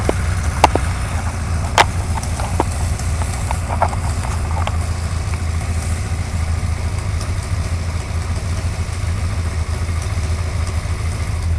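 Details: Suzuki GSXR 1100 motorcycle at even idle with a few sharp ticks early on, then mostly steady running; light top-end engine tick of unknown cause.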